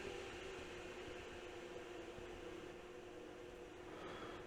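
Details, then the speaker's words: GPU cooling fans brought back down after a full-speed test using a PWM signal from an oscilloscope signal generator: steady, smooth whoosh with a mild constant hum, no ticking, rubbing or wobble; the fans operate normally. "and these cooling fans are now operating normally"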